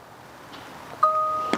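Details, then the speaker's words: Tesla Model Y power liftgate, manually lowered to a new height, with close button held: short two-note electronic chime rings once in a quiet cabin, confirming the new open height is saved. "it makes that noise, and basically that's the new setting."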